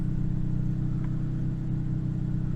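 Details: 2008 Yaris idling after an upstream O2 sensor replacement that cleared code P0031, with no faults on rescan; the exhaust donut gasket flange repair is still to be redone. A low, even drone with no ticks or stumbles. Normal, healthy idle.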